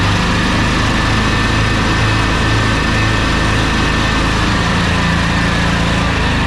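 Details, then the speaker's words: Troy-Bilt zero-turn mower twin engine with bad ignition coil (no spark on one cylinder), customer thought belt slipping: loud, uneven, lumpy low beat that sags and hunts, bogging on one cylinder, roughly 11 hp; won't cut well. "at this point it sounds like it's bogging down it sounds like it's running on one cylinder now at that point you're still going to get about 11 horsepower out of it with this deck it's obvious obviously not going to cut very well"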